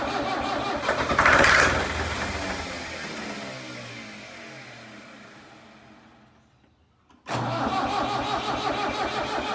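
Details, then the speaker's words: Tractor abandoned three years in a meadow, with fuel line and fuel pump problems, primed with fuel; fires briefly, revs, then winds down and cranks again without catching; fuel starvation, owner unsure if throttle or shut-off is set wrong. "I don't know is my throttle maybe set at the wrong place or I don't know it still acts like it's not getting fuel"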